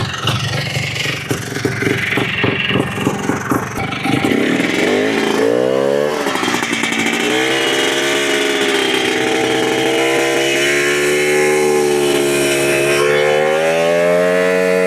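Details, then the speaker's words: Restored 2005 Polaris Trailblazer 250 two-stroke ATV with FMF fatty pipe, after off-camera work, blips then holds a steady buzzing idle with smooth revs, no misfire or knock, no fuel leaks; normal running. "He goes idle running good. Everything looks good. Not leaking gas."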